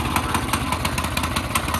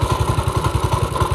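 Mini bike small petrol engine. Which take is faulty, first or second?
first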